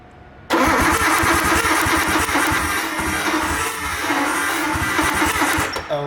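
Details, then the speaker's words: Abandoned Nissan R32 first cranks after sitting, fuel pump fuse replaced: steady rapid starter churning, turns over evenly but never fires; loose coil packs arcing to a plate instead of the spark plugs, so no start. "so the solution for this it's uh basically like the coil pack is not secure anymore and it's arcing to this little plate right there instead of to the spark plug and so there's literally no way for this card fire"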